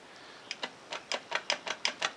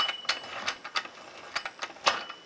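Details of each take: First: Scrambler ATV transmission, opened after bad noises and metal-laden fluid; in drive, output shaft held while the input shaft is turned: sharp metallic clicks from loose play. Clunking play in the drivetrain, suspected to be the primary drive chain. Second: ATV Scrambler transmission, cover off, after metal-laden fluid and bad noises: crisp ratcheting clicks and clean metallic clunks shifting by hand through forward, neutral and reverse without grinding; normal gear engagement.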